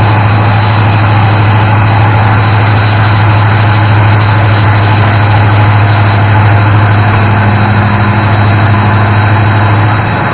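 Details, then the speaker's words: 1988 Ford F-150 V8 in neutral with a timing light attached, after the broken distributor-side ignition module was replaced and the engine retimed: deep, smooth idle, steady beat, no missing or dropouts; normal idle. "we did get it fired up a little bit ago after we got the distributor dropped in which you saw in the video and it doesn't sound like it's missing anymore so it sounds like that ignition module on the side of the distributor fixed it"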